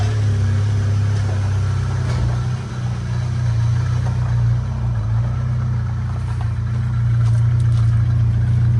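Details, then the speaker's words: 1993 Mustang 2.3 four-cylinder after a head gasket job and timing trouble; low, uneven, lumpy chugging that never smooths out, a misfire from plug wires in the wrong firing order. "I had the firing order wrong. I also broke number four spark plug wire back here."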